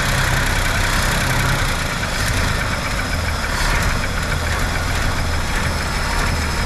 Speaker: I think we need to turn a up just a hair oh it sounds sounds pretty level pretty consistent yeah